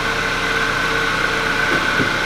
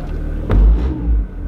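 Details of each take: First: 2002 Acura RSX test drive after replacing broken transmission/engine mount that caused thudding from driver's front wheel area when pulling forward: steady engine and road noise, no thud or clunk on load changes; fixed. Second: 2002 Acura RSX base, thud from driver's front wheel area. Power-braking is silent in reverse, but in forward, torque lifts the engine with a heavy low thud and shudder: broken transmission mount.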